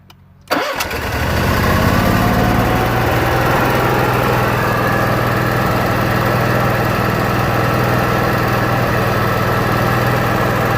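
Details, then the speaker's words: Onan Marquis Gold 5500 RV generator, previously stalling after 15 minutes and not restarting until cooled: after fix, still warm, brief crank then catches at once and runs steady and even; hot restart now normal. "it looks like the issue is solved works just fine"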